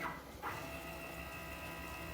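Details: Mach3-configured CNC router X axis jogged by keyboard arrow at about 1,000 mm/min with 2,000 set as maximum: short clunk at start, then smooth steady stepper hum on one pitch; normal jog.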